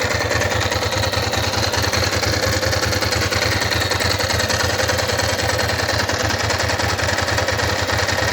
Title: bruit moteur